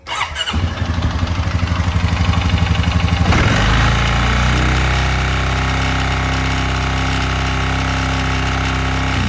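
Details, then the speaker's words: 2020 Honda Rubicon 520 ATV after being swamped: fast idle with steady tapping knock about four per second; owner fears crankshaft damage, plans valve adjustment first to diagnose. "so as you can see it does not sound very good so what we're going to do is we're going to do a valve adjustment on it first and then we're gonna go from there"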